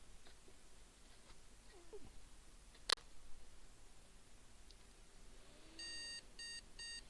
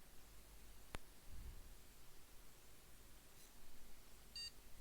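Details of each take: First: Desktop PC motherboard powered on with no RAM installed and a POST analyzer card fitted: one long beep then two short over faint room hiss; missing-memory beep code, the analyzer shows no POST codes. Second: PC motherboard single short high POST beep in a quiet room after holding MEM OK! button and restart; normal boot, picture appears, BIOS then reports USB over-current status though no USB devices are fitted.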